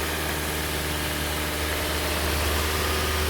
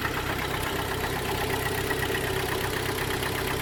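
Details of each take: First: Hyundai ix35 2012 G4KD petrol engine, 124,000 km, on first start after rebuild for a piston knock (block bored to 0.5 repair size, new pistons, exhaust camshaft, oil pump, oil jets, head repair): smooth normal idle at 2000 rpm, no knocking. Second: Hyundai ix35 G4KD petrol engine, 2012, 124,000 km, heard from cabin: idle with a dull, regular knock beneath the running noise, piston slap from worn pistons; block later bored 0.5 with repair pistons.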